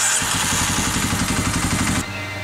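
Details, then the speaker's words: Dual-sport single-cylinder motorcycle after 12 hours of carb jetting (test 24), ignition already replaced: uneven thumping idle that sags and won't hold, dying on a ride; rough idle ultimately traced to exhaust valves set too tight to seal. "i did seem to find a place where my bike would idle and not die and return to idle pretty well but as soon as i got it all together it didn't seem to do that anymore"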